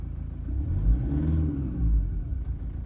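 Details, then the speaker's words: Toyota Prado 150 diesel, 7 years and 150,000 km, cold start injector diagnosis: a deep rumble swells on a light rev, then stumbles and shakes back to a rough idle; injectors are suspected, with a risk of cracked pistons; not confirmed. "And just rough as coming back to idle and rough idle."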